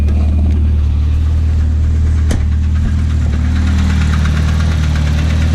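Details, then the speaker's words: Volvo red block turbo wagon engine bought cheap for being clappy, at cold-start idle; loose, heavy knock about four per second, far sloppier and louder than normal; owner unsure whether rod knock or piston slap. "If you're new to red blocks, this is actually a lot more sloppy than they're supposed to be. Yeah, so it's not supposed to be that loud."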